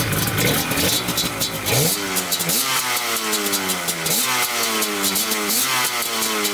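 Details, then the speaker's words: Banshee 350cc two-stroke twin after carburetor cleaning, one cylinder suspected of getting constant fuel: crisp blips from idle to high revs, dropping back evenly, no stumble or bog; one cylinder smokes slightly more. "all right so cleaning the carburetor definitely help everyone's perfect now sounds great"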